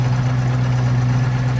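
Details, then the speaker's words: FV432 APC 4.3 K60 diesel after re-timing the out-of-time injection pump element: deep, steady idle with an even beat and no rattle or misfire; now sounds like a proper K60, not a rattly load of junk; normal idle. "It's transformed the sound of the engine already, hasn't it? Yeah, that is sounding totally different now. That's sounding like a proper 4.3, like a K60, not like a rattly load of junk."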